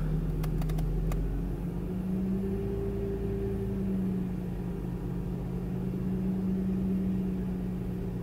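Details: BMW E46 after crank sensor replacement and swap to remapped ECU, just started, ECU still adapting: low hum idle slowly drifting up and down every few seconds; idle hunting persists, vibration reduced.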